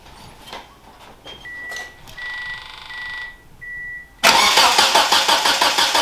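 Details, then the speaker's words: 1991 Eagle Talon after installing a new Deatschwerks fuel pump: several seconds of quiet cranking with chimes while fuel line pressure rebuilds, then the engine suddenly catches and runs with quick, regular firing. "all right it'll take a minute it's going to crank for a minute because it has to get pressure back in the"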